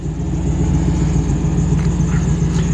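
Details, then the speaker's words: 1985 Jeep CJ-7 with LS V8 swap and high-mounted exhaust: deep, even V8 burble at idle, steady low rumble, fairly quiet exhaust, no knocks or ticks; healthy. "In fact, let me start it up where you can hear it. It's got a fairly quiet exhaust."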